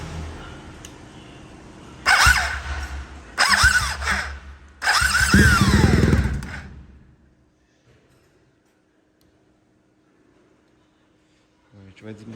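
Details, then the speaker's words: BMW R 1250 GS Adventure starter motor cranking in three short bursts with a loud whirring, grinding whine that bends in pitch; starter noisy, to be removed and inspected. "Bom, galera, é o seguinte, vou mostrar pra vocês aqui o barulho que tá fazendo o motor de arranque. A gente vai tirar ele pra dar uma olhada. Tá dando bastante barulho."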